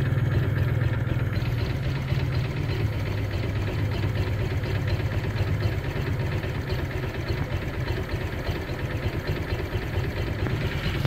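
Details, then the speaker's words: Honda PCX with a no-start, running after a faulty ECU cable was found and the stock ECU put back: it fires and settles into a steady, even low idle with no misses or rattles; normal idle. "sekarang bisa Oke kabel Ecu nya bermasalah ya"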